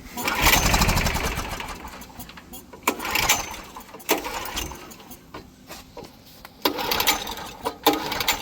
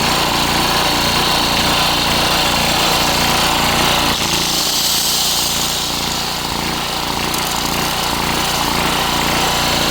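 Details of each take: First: Curbside Coleman Powermate PM1500 generator with stale, leaking gas, primed with starting fluid, run switch on: about five recoil pulls give short spinning bursts but it never starts; owner plans to take it apart and clean it again. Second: Coleman Powermate PM1500 generator, started on the first pull and powering an angle grinder: steady engine drone with no surging under the grinder's whine; carries the electrical load well, runs great.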